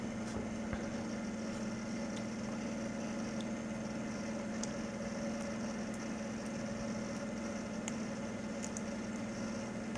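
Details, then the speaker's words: Packard Bell Legend Supreme 1820 desktop (Pentium 200 MMX, Windows 98) at power-on: steady dry grinding hum under light clicks and hard drive noise; dry fan bearing grinding, CPU or power supply fan suspected. "first thing you'll hear is the grinding from the dry fan not sure which van it is it's either the cpu or the power supply fan"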